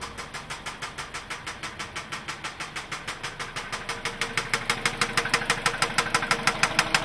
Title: 03 Mazda 6 2 3L Knocking Sound